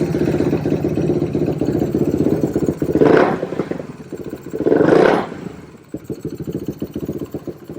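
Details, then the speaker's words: 2007 Suzuki LTR450 quad that won't take throttle, possibly loaded up from cranking: single-cylinder runs rough and lumpy, twice bogging flat when throttle opens, also backfires; fuel starvation, suspected restricted fuel filter and dirty fuel injection. "Feels like it's taking no fuel."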